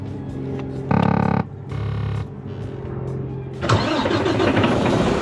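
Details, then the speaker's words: Freightliner diesel truck after rerouting and re-looming a wire pinched between oil pan and block that caused crank/no-start: two bursts of steady starter cranking, then engine catches and runs evenly; normal crank and start. "but we already tried cranking as you guys saw and it worked"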